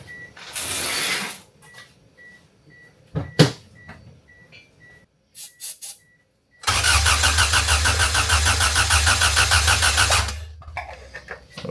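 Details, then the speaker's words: Kyler's wagon, first crank after ECU repin for multi-point fuel injection: steady starter churn about three beats a second, never fires; main relay not working, later traced to a disconnected ground wire. Crank no start. "Main relay. Main relay's not working."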